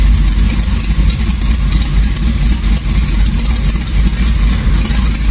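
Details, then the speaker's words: LS1 V8 swap car with sloppy stage 2 cam, tuned to idle best in gear, in gear: steady, even low rumble with no stumble or misfire; two tuning numbers synced, idle adapt near zero; healthy. "so right there it's in gear and these two numbers are syncing up the idle adaptive is about as close to zero as you can get it pretty much"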